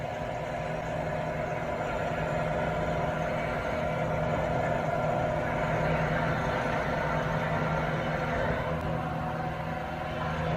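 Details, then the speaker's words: 1975 Hardinge HC chucker lathe running after drive belt adjustment on the variable speed pulleys; even, steady belt-drive whirr with no slap, squeal or knock, smooth running before coast-down. "now that sounds smooth all right let's letting it coast down"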